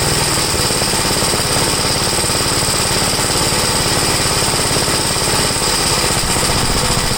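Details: 1962 Gravely L-I single-cylinder, warmed up after a valve adjustment, compression 45. Carburetor high side adjusted; leaning it further stalls it, so it is left as is, seeming slightly rich. Loud chug at about three beats a second, slightly uneven and lumpy. Possibly slightly rich running.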